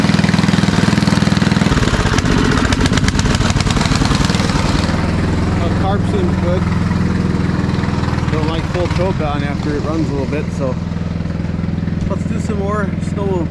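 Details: Old MTD Snowflite 826 snowblower, 8 hp, 26-inch cut, electric start, blowing snow: catches and settles into even, steady run with low beat under load, no misses or knocks; normal running.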